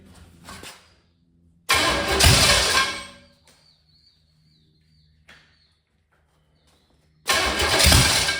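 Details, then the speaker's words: 1985 Chevy Camaro 400/406 small-block V8, first start in over 20 years, plug wires rotated: cranks and catches in rough bursts, fires unevenly and dies after a second or two, almost idling; ignition timing still needs dialing in, no timing pointer yet. "She almost idled there for a second. A little juice. Heat. Heat. Look at that. She's a runner. We just got to get the t the timing dialed in."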